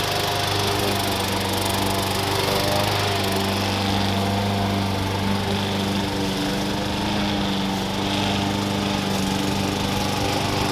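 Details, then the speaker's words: Rehabbed push lawn mower that sat for years, new blade, blade support and air cleaner fitted, cutting grass: even steady high-pitched drone holding speed with no misses or knocks. Normal running under load. "so yeah not bad um hopefully you guys like this video you saw how to rehab a essentially a trash mower and bring it back to life"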